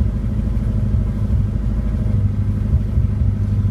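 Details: Engine on a Pandoo EFI-4 programmable injection with an untuned base map, throttle held to keep it from stalling: a low, lumpy idle with small uneven dips, just above stalling.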